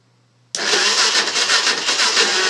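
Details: 2006 Kawasaki KFX 400 with a new spark plug and new starter motor, carb not yet touched: the starter spins the engine steadily but it never catches. Cranks, no start; cause unknown.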